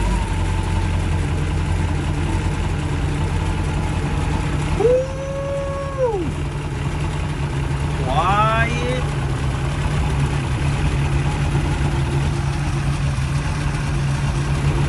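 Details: 1996 Bayliner 2050 SS 305 Chevy V8 after snugging loose rocker nuts (owner unsure if a stud is pulling) and refitting valve cover: low steady even idle rumble, ticking gone; engine healthy.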